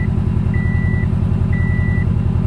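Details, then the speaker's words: 1986 Volkswagen Vanagon with 109,000 miles and the check engine light on, idling with the AC running: a steady high chime repeats about once a second, half a second on and half off; its cause is unclear. "other than that stupid chiming yes AC works very nice"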